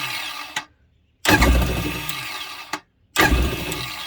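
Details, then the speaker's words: Old (about 1986) X2 jet ski, battery wire reconnected: short bursts of free starter whirring about every 1.5 seconds with no engine catch; bendix not staying out to engage the flywheel. "the Bendix is basically a little gear and it flies out and hits the flywheel and that's what makes it turn but that's that noise you're hearing is the starter's spinning but it's just not turning the engine okay [Applause]"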